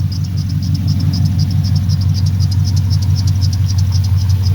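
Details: 1979 Pontiac Firebird with LS V8 swap idling after a misfire fix: plug wire boots were swapped because the wires touched the header. Strong, even V8 idle with no stumble or crackle; all cylinders firing cleanly.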